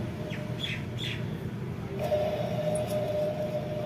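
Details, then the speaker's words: Ceiling fan running before bearing service: thin, steady squealing tone with short chirpy squeaks over a low motor hum, from a dry bearing. "आपको आवाज सुनाई दे रही होगी कैसे आवाज आती है इस आवाज का सॉल्यूशन हम आज करने वाले हैं"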